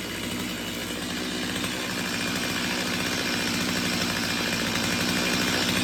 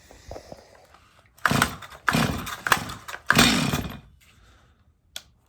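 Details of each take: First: Stihl MS250 two-stroke chainsaw test run just after a cold start on a cold morning, following carb tuning for a won't-restart-when-warm complaint: buzzes steadily and picks up smoothly without stumbling or misfiring; nothing looked out of the ordinary, running normally. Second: Stihl MS250 chainsaw on first start before repair, in for not restarting when warm, with fines under the hood and a dirty air filter; short full-throttle bursts scream clean and high with no four-stroke pop. Lean running at full throttle.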